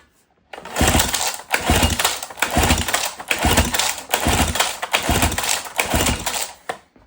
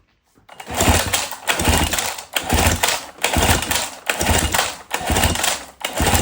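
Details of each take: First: 1977 Johnson 9.9 outboard, sat for years, electric-start cranking during compression test of top cylinder: uneven chugging about one cycle per second, no firing; about 88 psi versus ~101 on bottom, right at the 10% threshold. Low cylinder compression. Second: 1977 Johnson 9.9 outboard, sat for years, electric-start cranking during compression test of bottom cylinder: steady even bursts just under a second apart, no firing; reads about 100–101 psi. Normal cranking.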